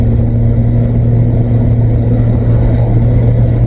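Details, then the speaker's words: 1997 VW Vento (Jetta Mk3) automatic after fluid and filter service, driving on a dual carriageway: engine holds one high steady drone for seconds with no upshift, harsh thud pulling away; owner suspects worn valve body solenoids needing a new valve body. "It needs a new valve body. That thing that the filter clipped into, they unbolt and you can put a new one in because the solenoids wear out."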